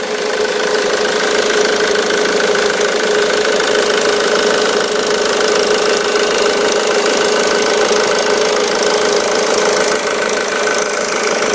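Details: 2005 Ford Mondeo Mk3 2.0 TDCi 130hp (96kW) diesel idling: loose, fast rattle and vibration over the clatter from a worn auxiliary belt tensioner.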